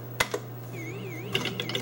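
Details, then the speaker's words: Gorf arcade game board 1 with custom chip C, after oven-baking the chip: constant low hum under a warbling whistle, peppered with random clicks and pops. Audio is still garbled by the faulty custom chip, with no change from baking. "Is it worse or better after the oven? It is basically the same. Still got the same issues. Yep, audio still sucks."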